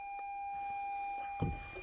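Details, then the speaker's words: Toyota Highlander hybrid not started for days, just under a quarter tank of fuel: steady electronic warning tone in a quiet cabin, no engine turning over; hybrid system stopped message though shift lever is in P; will not start. "Hybrid system has stopped. Please put shift lever into P, which it's been in the whole"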